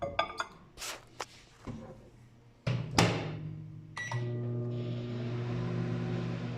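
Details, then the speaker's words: LG microwave after replacing the faulty door switch, keypad beeps and door clunks then steady hum and fan rush; now heats normally, fault no longer occurs. "Ya no hizo el fallo. A ver, vamos a ver. Sí, calienta."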